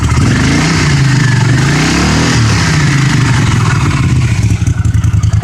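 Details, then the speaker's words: 1982 Honda CX500 Custom, 12,000 miles, unused for over 10 years, cold day: revs rise, then fall back slowly and hang before a lumpy twin idle; idle hang after revving, earlier blamed on a vacuum leak. "um it was hanging before because of this Vacuum Lake we'll see if it does still yeah that kind of hangs there a little"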